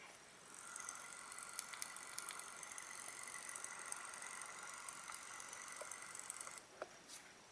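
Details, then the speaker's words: iPhone 6 Plus on iOS 8.4, 64 GB: faint irregular clicking from the rear camera, which shakes and won't focus; the image stabilization hardware is suspected, and the camera was later replaced. "I'm going to do it without talking so you can hear that camera actually clicking"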